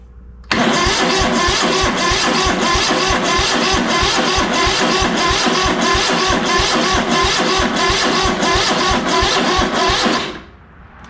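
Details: ZT200 mower twin after ignition conversion, kill wire pulled, spark verified on both sides: starter churns at about three compression pulses a second but never fires; no fuel getting to the carb.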